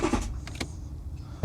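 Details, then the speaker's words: Porsche Cayenne, stolen and crashed, pyro fuse bypassed, on jump pack: low uneven churning with sharp clicks that fades without catching; battery suspected dead, not confirmed. Engine cranks but does not start. "But it is cutting out, but Right. I think that's the issue we're facing. This battery in this car is absolutely kaput."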